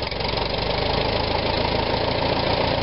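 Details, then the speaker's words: 1945 Farmall BN after Zenith carb cleaned of blockage and float level reset, idle screw set 3/4 turn: low, steady idle with even beat and no stumbles or hunting, idle now adjustable unlike before; normal idle. "I could never adjust the idle screw on this look at this I got it all the way in listen to it"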